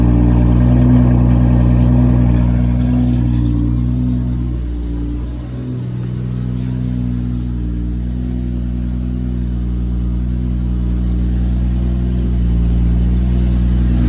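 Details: Cold start of a 2JZ-GTE-swapped Lexus SC300 with a 4-inch straight-pipe exhaust, not yet fully tuned, on an EMU Classic ECU: loud six settles into a steady, even idle after a brief dip, no hunting or surging; healthy.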